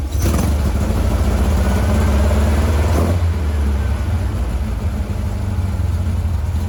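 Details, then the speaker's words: 1956 VW Bug flat-four with replacement 40mm IDF/HPMX-style dual carbs, after fixing a fuel-dumping carb: deep, steady drone with an even beat and no misfire gaps, now running on all four cylinders. Linkage sync and carb tuning are still needed. "huh well it's amazing what a difference two functioning carburetors make and four cylinders versus two cylinders so this actually the best the cars ran in a little bit"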